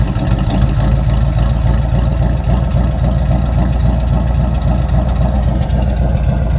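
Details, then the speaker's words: Chevrolet squarebody truck V8 idling after a valve adjustment, phone near the exhaust: loud, choppy idle with a steady lope about four pulses a second, no ticking or knocking; sounds like a big cam, still no smoke, previously smoked badly. "sounds like got a big old cam in still no smoke"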